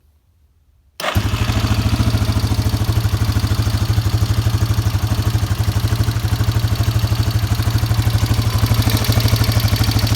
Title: Yamaha warrior 350 ticking noise